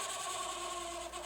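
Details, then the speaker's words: Hitachi STD 2480 music centre cassette deck after alignment: steady rasping whirr with thin high whine during fast wind; transport mechanism still noisy, cause unclear. "fast scan yourself perfect somewhat faster still making that noise"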